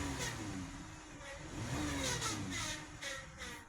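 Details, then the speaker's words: 62TE six-speed transmission behind a 3.6-liter VVT Pentastar: a mid-pitched whine over the engine rises and falls with revs, a bad transmission pump starving it of fluid, a common 62TE problem; diagnosis already done. "You hear that noise? That's a transmission pump failure."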